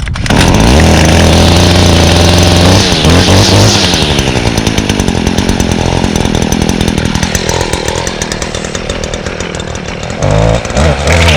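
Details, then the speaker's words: 2017 Stihl FS56 trimmer (Easy2Start, flex-cable shaft that vibrates a lot), choked and primed: fires quickly, then revs up and drops back cleanly with a crisp, steady buzz and no stumbling; running healthy. "and now very similar to the echo it has the um steel's easy to start system so it's pretty similar um it promotes easy starting so i'll demonstrate that now see how easy that"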